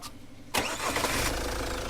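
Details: Jeep Compass that suffers a flywheel clunk at start-up: it cranks briefly, catches cleanly and settles into an even idle with no clunk or knock on this start, so the start sounds normal.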